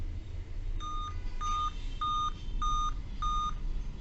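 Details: Dell Vostro 2520 laptop, motherboard DV15 MLK MB 11280-1: five evenly spaced short beeps repeating continuously despite correct date/time; 5-beep POST code, RTC section and PCH RTC chipset fault, RTC voltage measured around 3.2–3.3 V.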